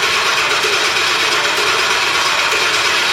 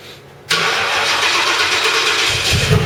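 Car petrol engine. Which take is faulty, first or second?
second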